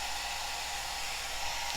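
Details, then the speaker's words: Cascade DS-925 hair dryer after repairing a no-heat fault (broken heating element connection crimped), cool button held, temperature dropping. Steady airy rush with even motor hum, no rattle, surging or cutting out; running normally on cool. "that's going down so that's with the cool button held in and that feels cold coming out"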